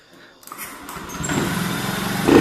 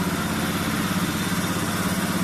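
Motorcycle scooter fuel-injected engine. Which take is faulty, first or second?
second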